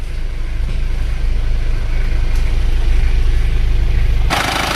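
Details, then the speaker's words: Isuzu Panther 2.3 diesel after workshop service, valves not yet adjusted: steady, even diesel clatter at idle with no misses or knocks and a burst of hiss at the end; temperature stable, no oil or coolant leaks, no smoke from oil filler cap; normal idle. "jadi temperaturnya sudah stabil dan ini juga tidak ada yang bocor oleh-oleh juga tidak ada rembes"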